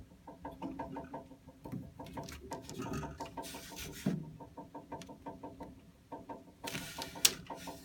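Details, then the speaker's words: A water heater at about 6 a.m.: light, quick ticking knocks in irregular runs with a brief rattle near the end. No vibration can be felt on touch, and the cause is unknown. "And it sounds like it's coming from here. Like here. That's made another little noise."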